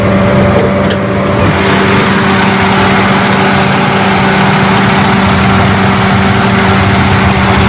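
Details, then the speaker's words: Hyundai Atoz GLS 2001 idling with AC on: loud steady low growl droning over the engine; worn AC compressor, quieter after a cleaning and compressor oil change but still growling. "suara mesin tanpa asyik tapi begitu AC nyala Hai Nah suaranya Kakak ngorok agak keras huh ini masih mending"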